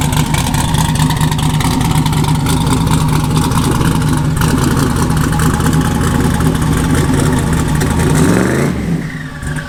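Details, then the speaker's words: Camaro on a drag-strip pass at full throttle: engine pitch climbs and never drops for a gearchange until lift-off, so the transmission did not upshift; cause unknown, and it smoked after sitting idling. "so so sounds like it didn't shift i'm not sure what's going on with that"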